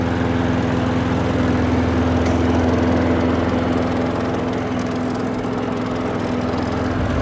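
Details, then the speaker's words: Curbside Craftsman push mower that would not start after hitting something, refilled with gas: a steady, even single-cylinder drone with no misses or knocks, holding speed smoothly; it runs well. "Runs good. Just need to tighten up some of the hardware on the handle, but other than that, give it a bath and send it on its way."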